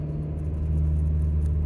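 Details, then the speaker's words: 2015-or-newer Subaru WRX with aftermarket exhaust, now with resonator, at light throttle; low steady rumble, no drone, rasp or rattle. Quieter and more mellow than before, difference mainly under heavy throttle. "It still sounds good, but not nearly as loud as it was before. And the raspiness, it's kind of a little bit more of a mellow tone to the exhaust. It's really only noticeable under heavy throttle."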